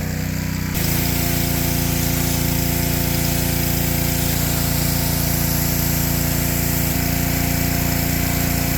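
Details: Ryobi pressure washer small single-cylinder engine (Honda-tagged) after fixing lost compression, cylinder soaked with penetrating oil; catches and holds a steady, even drone washing under load, no misses or surges: normal running under load.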